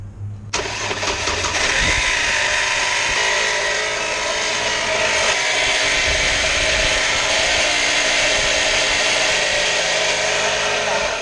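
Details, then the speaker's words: 2002-2009 Chevrolet TrailBlazer 4.2L inline-6, which vibrated hard at a traffic light: startup gives a loud, harsh grinding roar that fades after about eleven seconds to a quieter idle. Suspected alternator bearing, loud on that side, with a smell. "But I think it could be your alternator. The bearing. And then this is so loud over here on this side."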